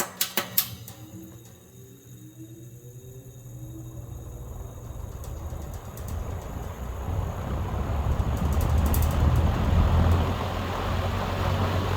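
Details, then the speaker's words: Mid-1960s Hunter Zephair 20" box fan, model FZ-20P, restarted on high: switch clicks, then building airy whoosh over a steady low motor buzz; owner suspects the motor could use revarnishing. "a little bit of motor startup sound seems like the fan could probably use to be revarnished you can hear by the buzz"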